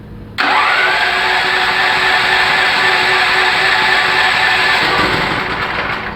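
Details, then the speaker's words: Generator running on gas via a valve; started with gas valve opened, it catches abruptly, runs strained a few seconds, then sags and dies, flooded by too much gas; valve timing at start is key. "Como vieron, ahí se me ahogó."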